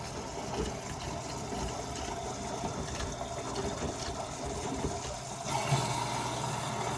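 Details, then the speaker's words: Whirlpool washer WFW75HEFW0 with E1/F9 drain error: water gushes steadily through the hose under a rough, uneven pump churn; drain pump is pumping but sounds unhealthy, pump filter clogged with debris. "listen for the pump it does sound like it's pumping you can hear the water coming out the hose it just doesn't sound good"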